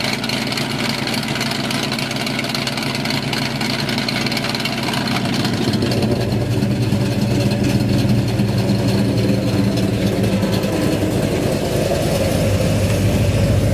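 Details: 1969 Dodge Dart 440 V8, TTI headers, electric exhaust cutouts opened: loud lumpy idle picks up into strong revs after about six seconds, running clean and even.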